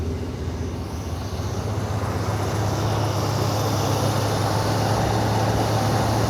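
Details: 1980 Pontiac Turbo Trans Am V8, cold start after carburetor replacement, metering-rod vacuum unplugged so running rich, PCV port capped; steady low rumble settling into an even idle, no knocks or misses; normal idle.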